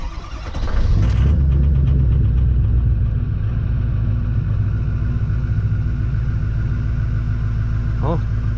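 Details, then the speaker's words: 2006 Ford Super Duty 6.0 Powerstroke diesel after fuel pump/HFCM and fuel filter replacement: catches and settles into slightly uneven, lumpy idle with faint stumble; air still in fuel system, much better than before. "idling that's good still a little rough because there's air in the fuel system still but it's a lot better than it was"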